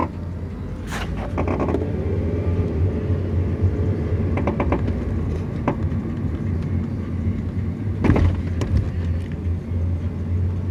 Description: My Car makes weird popping noise..does this every now and then.